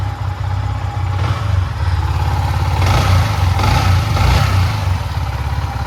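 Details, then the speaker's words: Yamaha MT-15 v1 after timing chain replacement, which fixed a harsh rattling engine noise: even single-cylinder idle with clean throttle blips and no ticking or chain rattle, a healthy engine. "तो अभी देखा finally पूरा complete हो चुका है। वह वाला problem चला गया। साउंड एकदम मस्त पहले जैसा हो गया।"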